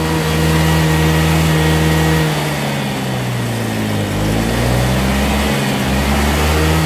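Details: Honda Vario 125 scooter after fuel pump removed and water found in the tank (cause of intermittent stumbling): engine runs smoothly and revs up and back cleanly, no misfire.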